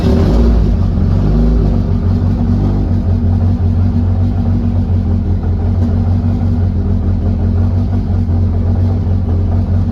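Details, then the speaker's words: Nissan 180SX after alternator refresh, on booster, first start after sitting a while: steady, even idle with smooth low rumble, no knocks, ticks or stumbles; later measured about 14.2 V charging, oil pressure good; normal running. "Okay, so the car is running. As you've seen at the dash, I was only seeing 12 volts, and I got a bit of a fright."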